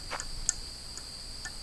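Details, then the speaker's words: 1965 Ford F250 parked 26 years, ignition key bypassed, voltage regulator wire located: sharp light clicks about twice a second over quiet background; regulator cycling normally. "I located the wire for the voltage regulator here so since we're bypassing the key we'll be able to use our charging system if our alternator is still good but you can hear that"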